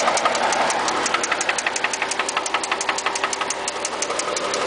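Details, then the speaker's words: 1JZ-powered Toyota Cressida idling, low on fuel, with a sharp, regular metallic knock several times a second; still drives but knocks badly, doesn't reach boost; suspected rod knock. "this is me revving it and uh still drives let me actually take it for a little small spin show you that it still dries um knocks real bad"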